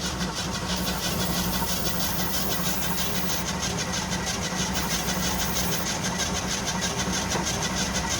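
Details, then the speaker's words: Old water truck from a Nevada desert yard, gas poured down the intake, throttle held wide open: cranks and coughs in ragged bursts about three a second without settling; hard starting with sputtering, owner suspects he flooded it. "it might run oh hell i might have flooded it hold it wide open i poured that gas down the intake"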